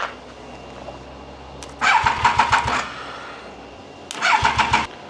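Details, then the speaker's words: Triumph Daytona 955i, 12:1 compression, with a working fuel pump, clean fuel, and firing on easy start: short bursts of regular cranking with no catch; cranks but won't start. Owner suspects restricted air; a later test showed low compression, 4.5–5.5 bar. "I got no flipping clue. Eh, none. Why she won't start is beyond me."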